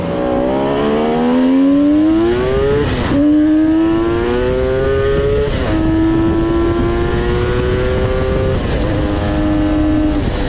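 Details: 1974 Kawasaki H1 Mach III fitted with an H2 750cc two-stroke triple, revved after removing restricted air filters that caused bogging: crisp, clean revs climbing and dropping through several pulls with no hesitation or bog; runs strong.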